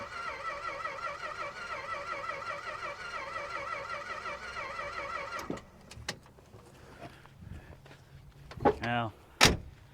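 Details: 1962 Dodge Custom 880 said to have a cracked block, first try after battery fitted, oil in crankcase, carb cleaner: starter whirs steadily about five seconds, no start; spark found barely present and weak.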